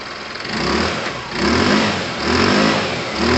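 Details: Tamoretti with replacement carb warming up before a test run: single cylinder blipped in short even bursts, revs rising and falling cleanly with no miss; healthy warm-up.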